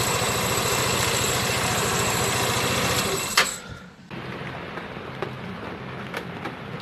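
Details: Vehicle with push-button start, just after fixing the faulty brake light switch whose broken contact had stopped it starting: steady, even idle with a regular beat for about three seconds before fading; engine starts and runs smoothly.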